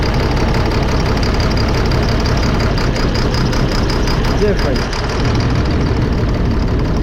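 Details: Cat C7 diesel in a 2005 Fleetwood Discovery on a Freightliner chassis with low power, unable to exceed 60-65 mph. Lumpy idle with no rpm change as injectors 5 and 6 are cut: dead cylinders, bad injectors, replaced.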